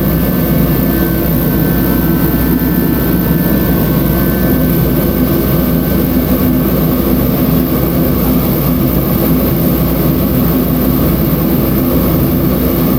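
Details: Mr. Heater Contractor Series forced-air heater, just lit on its lowest setting in a winter garage: a loud, even roar of fan and burner flame with no pulsing, sputter or pitch change. Some flames poke out; owner may adjust it. Running normally.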